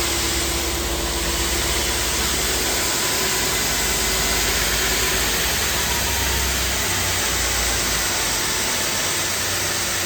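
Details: Two-head abrasive belt grinder (P120 then P180) finishing the flange of a heavy 14-foot aluminum beam, about 6 1/8 inch: steady even belt hiss and constant motor drone, no chatter or thumps; clean pass.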